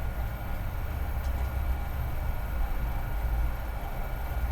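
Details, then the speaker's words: New off-brand Wasserman hot tub recirculation pump, 5 gpm (300 gph), about 5.5 PSI, lying on the ground: low, even hum with no rattle, whine or surging; much quieter than the old Seaflow, running normally. "and this pump is so much quieter even the first one that seaflow when I had it thing was"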